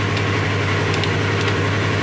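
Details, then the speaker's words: 2017 Polaris RZR XP 4 1000 just fitted with a new Alba Racing ECU after limp mode with multiple sensor codes: steady, even normal idle with a firm low hum and no misses. Fan is off and temperature reads right, but the check engine light remains. "good news well the fans didn't kick on that's good started right up that's good"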